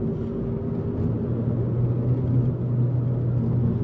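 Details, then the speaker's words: VW MK5 Golf driving under load after new driveshafts installed: steady low hum swelling and holding around 1,700–1,900 rpm, worse in higher gears, no knocking; RPM-specific drone persists, owner suspects driveshaft or transmission bearing, unconfirmed. "yeah it's still doing it so I don't know if you can actually hear it but right there is where it's like droning it's like 1.7 to 1.9 K"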